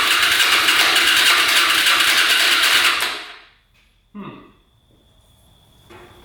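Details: Hyosung Aquila 250 motorcycle: starter spins about three turns a second for three seconds, never catching; engine flooding, gas puddling by the exhaust pipe, later traced to faulty fuel pump line into manifold.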